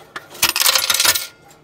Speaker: so when i hang up the phone it will in this particular case refund my money